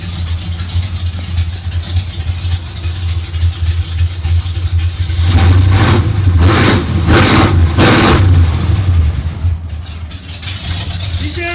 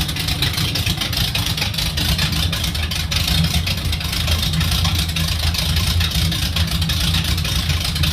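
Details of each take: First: 1980 Jeep CJ5 with Holley double-pumper carb, rejetted at machine shop, owner-set timing: deep loud burble at idle with sharp throttle blips; noisy exhaust, owner thinks it still runs rich and needs smaller jets, strong fuel fumes. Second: 1980 Jeep CJ5 with a rejetted Holley double-pumper carb, timing set with a timing light, tap-started: it settles into a steady, even idle with a deep, loud exhaust rumble and no misses or knocks; noisy but healthy running.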